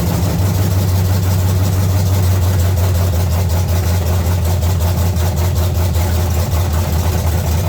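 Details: 1970 Chevy C10, small block 305 V8, after intake and carburetor change: low, lumpy idle with an uneven stumble and no steady beat; misfire traced to a broken distributor cap center button.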